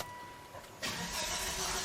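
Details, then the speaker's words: 2005 Volvo V70R salvage car, fuel pump relay on: the engine spins evenly without catching; code 5000, engine speed (rpm) sensor faulty signal, so the cam and crank sensors need checking; crank-no-start. "I finally got it to throw a code and it's throwing a 5000 code which says engine speed rpm sensor signal faulty signal so we need to go look at the cam and crank sensors"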